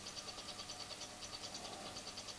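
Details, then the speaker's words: Old Schneider CDP7000 CD player with a disc inserted, reading 11 tracks: quick light ticking about seven times a second over a faint hum as the laser pickup keeps jumping and searching instead of tracking. "jumping you loosen this you can hear this this is interesting it's a it's a search it's also the track a track problem interesting"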